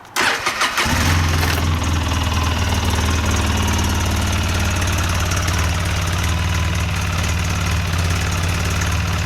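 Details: 2008 Polaris Sportsman X2 700 twin ATV, just reassembled with plates and drain plugs refitted, stock exhaust: brief crank, then catches and settles into a smooth, even, very quiet idle with a steady low hum; healthy.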